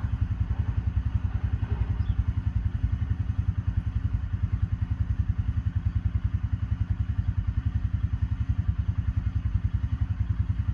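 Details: Intimidator Truck Series UTV with 1000cc Kohler diesel, key-on after glow plug warm-up: continuous slow, laboured cranking at about three and a half compression beats a second without firing; starter struggling, owner says it needs a bigger battery.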